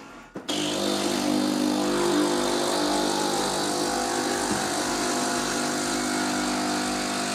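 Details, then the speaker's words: Philips LatteGo coffee machine after heating up: loud steady vibrating pump drone with no water flowing; machine does not rinse or brew, only steam comes out. "Well, that's the problem, the problem is that it doesn't make coffee at all because it didn't even rinse off, steam came out"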